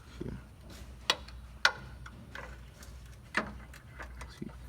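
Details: 2015 Chevrolet Silverado with 4/6 IHC suspension drop kit: a few sharp, irregular metallic clunks as the front lower control arm is levered by hand, from badly worn arm bushings causing typical IHC front clunking.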